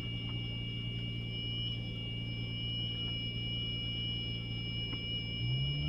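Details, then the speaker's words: 2003 Audi Allroad 2.7T: thin, high steady whine over the idle that holds pitch regardless of rpm, lasting about two minutes only on early-morning cold start and stopping before the stop sign; fine rest of day. Cause unknown. Whine on cold start. "all right listen to this crazy sound the hell is that sound give it a second you know how it doesn't change with uh rpm"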